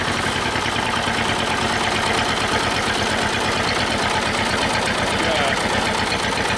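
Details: Old Detroit Diesel two-stroke four-cylinder dozer with a choppy, lumpy idle and missing pulses, warming up after the Bon Ami cleanser trick. Two of four cylinders are dead (compression was 150/90/0/0), possibly from stuck valves.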